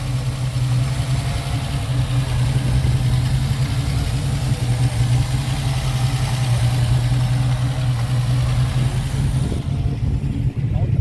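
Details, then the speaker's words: Ford Capri 3.0L V6 race car replica, stored 20+ years, idling after first start once the points were cleaned to restore spark: even, steady low rumble, no misses, knocks or ticks; oil pressure good, normal idle. "Yeah, oil pressure is good, mate. Yeah, oil pressure is good. >> Yeah, she is running nice."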